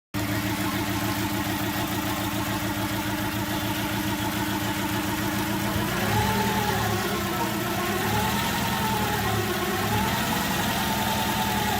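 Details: Daewoo Kalos 1.2i four-cylinder at idle with a defective ignition coil: steady uneven stumble, a dropped beat repeating several times a second; runs on only three cylinders, fourth misfiring.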